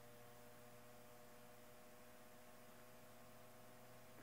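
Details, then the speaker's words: Hunter Century 2-speed oscillating fan, Cat 75 Type D-10, previously overheating badly on high, not yet lubricated or adjusted, on high speed at 120–121 V drawing 0.56 A and running cool: quiet, steady electrical hum at constant pitch with a faint hiss; normal. "so now we're at 120 volt 121 it's drawing point five six so it's running cool my getting hot and that's high speed"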